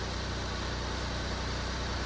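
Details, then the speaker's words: Small turbo kei car at idle after a spark plug change, with a steady, even hum; an earlier thumping at low rpm remains faintly. Normal idle. "so it was there a little bit but it does sound much better"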